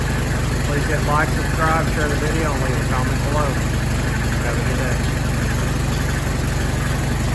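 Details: Allis Chalmers WD tractor after full rebuild and final assembly, started in neutral: steady low, even idle with no knocks or misses, sounding like a healthy running engine.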